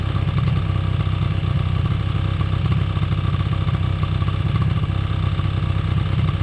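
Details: 2005 Polaris Predator 90 quad, long sat, revived with new battery and carb tune-up: small two-stroke holds a fast, busy high idle that never drops; brake cleaner spray didn't raise idle, source unknown.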